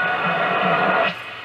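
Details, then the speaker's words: 1940 Philips 206A valve radio under restoration, aerial connected, just powered and warming up: faint programme through steady hiss abruptly drops out; intermittent reception, with the dial failing higher up the band; cause not yet found. "کار نمی کند و آن را روشن می کنم برای مدتی کاری انجام نمی دهد و به آرامی روشن شوید و می توانید چند ایستگاه را دریافت کنید"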